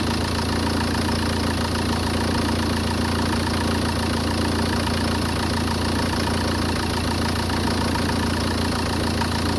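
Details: Peugeot 406 2.0 HDi diesel with unstable idle: rough, uneven clatter and low drone making strange noises; no cause is identifiable by ear.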